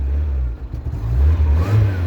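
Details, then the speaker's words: Mazda MX5 / Eunos Roadster, off the road 13 years, first start after fuel pump and fuel injection relay work: the engine catches cleanly and revs strongly with a deep, even note and no misses. Normal start and rev. "god it's perfect it smells like a lawn mower listen to that i am delighted"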